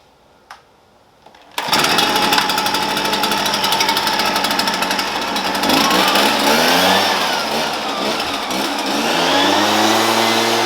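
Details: Shindaiwa EB802RT commercial backpack blower after carb work with a new carb gasket (old lacked crankcase pulse holes), previously died on acceleration: fires after a couple of seconds, then a crisp two-stroke buzz rising and falling cleanly with throttle; fixed.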